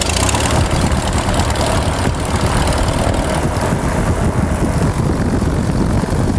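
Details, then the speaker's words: Experimental airplane Freedom, new mechanical fuel pump fitted, fuel pressure from electric pump but not mechanical: loud, ragged engine roar with uneven pops and stumbles as RPM rises; leaning out and misfiring from fuel starvation. "It'll run, but once It didn't sound once very you good. start giving it some RPM, it'll start popping, getting lean. Yeah, it's leaned out."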